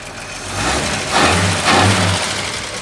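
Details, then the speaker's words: 1941 Chevy coupe straight six on its longest run yet after generator and new fan belt install, idle a little high, carb needing adjustment, possible sticky valve: short rev blip rising and settling smoothly, no stumble; normal running. "six. That car runs so much better."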